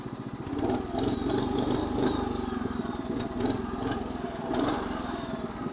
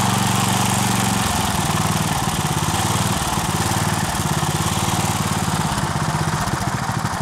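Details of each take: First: 1963 Bolens Husky 600 lawn tractor, about 47 years old, before restoration, getting a bit warm: small single-cylinder engine runs with an even, steady, fuller putter, no knocks or misses; it starts, drives and smokes but sounds healthy. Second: 1963 Bolens Husky 600 lawn tractor single-cylinder on 10-year-old fuel, off choke: racing high and unsteady, surging rather than settling; throttle linkage to the governor is disconnected, so revs can't be controlled.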